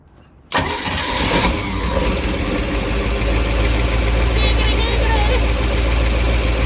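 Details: Bertram 28 boat engine with a rebuilt starter, wrong starter fitted for this engine: loud, steady cranking churn about three and a half beats a second with no catch or pickup; the engine won't start.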